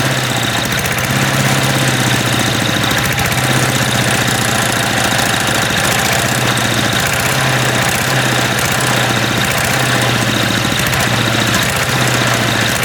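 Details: MTD walk-behind lawn vacuum blower, unused about three years, dislikes throttling with choke off: small engine loud and ragged, speed surging slightly and stumbling unevenly; loud rough running after long storage.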